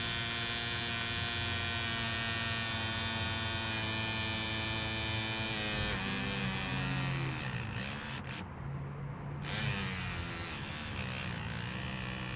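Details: Ford Ka 2007 1.3 petrol not starting after 2 years parked: removed fuel pump bench-tested after WD-40 and polarity swap, strained electric hum wavering and dropping, motor barely turning; pump seized.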